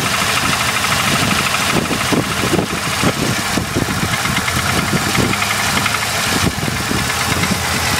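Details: Supercharged VS engine at idle: a sharp, irregular knock runs through it the whole time; the source is not yet pinned down.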